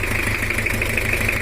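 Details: Toyota Kijang LGX diesel, 2L engine, before repair: harsh, uneven, knocking idle that sounds like leaking compression, with white smoke and smoke from the oil cap; one nozzle suspected dead; teardown found cracked pistons.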